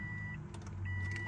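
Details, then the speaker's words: 2005 Subaru Impreza 2.5 RS manual at key-on after replacing a blown fuse: short steady hum like fuel pump priming, fuel pressure present, but no starter engagement or cranking; neutral/starter jumper circuit found not working. "oh still nothing all righty we're going to have to figure out what's going on here"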